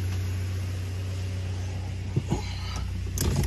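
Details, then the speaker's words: Toyota Hilux 3RZ-FE 2.7 L gasoline engine, in gear after an idle screw adjustment: a steady, even low rumble at about 1000 rpm with no shake, stumble or dip. Normal, correct idle. "just to check this good doesn't shake doesn't do nothing not idle too low"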